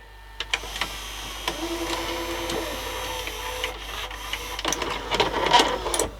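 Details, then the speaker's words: National NV280 VCR after belt kit, back tension band repair and service: small motor whir and gear movement, then clicks and clunks as the tape loads and ejects without hesitation; mechanism working properly again. "at least it's ejecting again properly shouldn't have any issues with the back tension which it was doing before cuz it kept dropping out"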